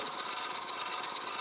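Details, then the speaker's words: Model Stuart 10V steam engine test-run on compressed air, without gland nuts or packing: quick, even hissy chuffs at about twelve a second with a steady beat; runs okay, though the valve timing probably needs refining. "And that little engine seems to run okay."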